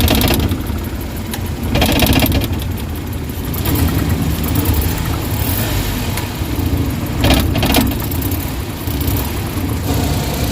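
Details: Suzuki Big Eye DA64/DA63 with AC on, no check engine light: lumpy, shaking idle with strong knocking vibration; misfire from weak independent ignition coils (number three and four), oil found inside coil well.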